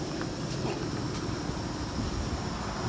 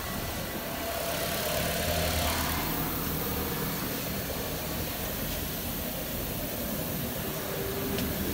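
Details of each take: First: 2007-13 Nissan Versa on a lift, rear wheel spun free by hand with vibration felt: a steady low rumble from a worn rear wheel bearing; both sides found bad. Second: Nissan Versa on a lift in drive, wheel spinning at idle: smooth, even spin with no rolling vibration or growl felt at the spring, so this wheel bearing is good.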